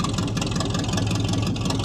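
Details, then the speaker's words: 1958 Plymouth V8 ("Christine") after full build, idling outside; even, rhythmic low burble at steady idle with no knocks or misses, engine runs on its own; run briefly as there is no cooling fan yet; normal idle. "Sorry for the lighting out here, but hey, it's running."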